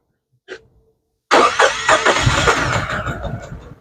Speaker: how do you guys know it's misfiring stumbling real bad you can see it it's moving you can even hear it